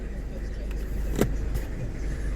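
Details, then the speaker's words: 2016 Citroen C4 Grand Picasso 1.6 BlueHDi diesel, 123,000 miles, started after clutch/dual mass flywheel kit and timing belt replacement: low, even idle rumble settling quickly, no knocks or rattles; a squeak noted afterward, otherwise running superb. "All right, I'll just start it so that you hear the baby running."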